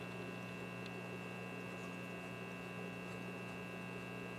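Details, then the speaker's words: RCA 66X1 multi-band receiver during radio-section troubleshooting with 455 signal injection: only a steady low mains hum and a faint high whine, with no stations or static. No reception. "I do not hear anything so let's go back to the 455 signal"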